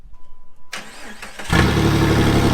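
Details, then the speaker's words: Engine cranks briefly, catches and settles into a very quiet, smooth, even idle that is barely audible, with no knocks or misses; normal idle. "oh you can barely even hear it running [Music] yeah you can ever you can barely even hear it man that thing whispers ready to go"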